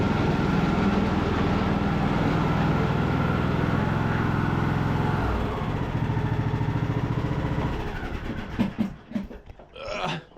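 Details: Craftsman LT2000 riding mower, revived after sitting a couple of years, reversing up a hill in the rain: a steady single-cylinder thump pulls evenly with no whine, grind or slipping surges, then eases off, so the hydrostatic drive is normal under load.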